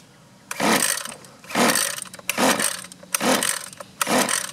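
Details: Husqvarna 128LD string trimmer with fuel in the tank, choke on: five recoil pulls about a second apart, each a quick whir that never fires; no-start from rotten, leaking fuel lines starving the carburetor.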